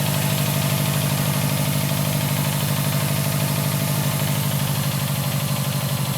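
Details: 2011 Subaru STI at start-up, with a steady low knock of about three beats a second under a rough idle; likely a fuel-loaded cylinder after a brief cold start during warm-up enrichment, not rod knock.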